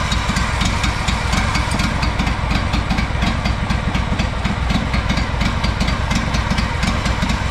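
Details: Honda 4118 riding mower, GXV 610 twin, new starter and two new coils after mice damage: idles unevenly with irregular pops and stumbles, never settling; rough, sputtering running, cause not found, muffler suspected next.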